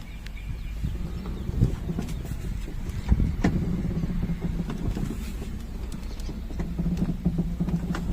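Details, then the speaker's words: VW Saveiro Cross with the engine off, steering wheel being turned: a dry, drawn-out creak and scattered knocking clicks from the right front suspension; a steering-linked suspension creak, with other rear and rattling noises noted and the car not yet lifted. "tem um toque toque tem um rangido né quando esta o volante tem esse toque toque"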